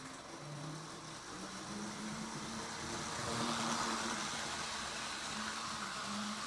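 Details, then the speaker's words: Reconditioned 1957 Lionel NW2 switcher with Magnatraction, cleaned motor and surfaced commutator, on a 1034 75-watt transformer, near closed throttle coming down a grade: a steady small-motor hum rising slightly with speed. Running normally. "Love the way those NW2 switchers sound. This is almost closed throttle. Pretty heavy coming down."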